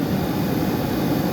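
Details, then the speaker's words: GM G-body A/C blower motor after repair of a bad connection, likely a terminal pin tensioner, that was taken apart, cleaned and reassembled: a steady low whooshing hum with even airflow and no ticking or scraping. The blower now runs smoothly. "I took it apart cleaned everything put it back together and it's happy okay so we're gonna demonstrate that it works"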